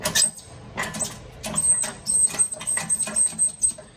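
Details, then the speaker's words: John Deere 111 mower, deck off: deck jackshaft turned by hand gives uneven high squeaks and dry clicks; jackshaft had locked up and needed heat and prying to free, bushings binding; seized jackshaft bearing, new bushings and bearing fitted next. "So this jack shaft right here was locked up. So, I mean, you can hear it, listen."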